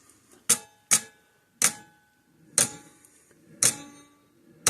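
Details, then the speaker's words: 50+ year old Sears 6V battery electric fence charger with a suspected intermittent switch; sharp, dry, slightly uneven ticks about once a second, firing only while its two contact points are bridged and dying when released. "See, if I touch those 2 points together, it'll fire right up."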